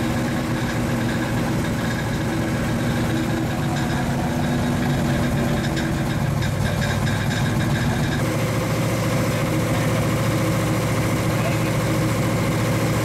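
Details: 1935 Chevy Master, fresh 409 stroker V8 at first start-up, running in on jack stands: lumpy, loping idle with a steady, even choppy cam beat of about three pulses a second; oil pressure and temperature good, so the idle is normal.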